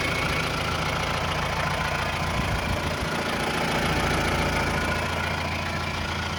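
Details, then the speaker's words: 2018 Mahindra Roxor turbo diesel idling after a start following a couple of days parked: an even, steady diesel clatter with no stumbles, rattles or odd knocks. Normal, healthy idle, still running strong without issue. "Whoa. Nice. Just love that sound."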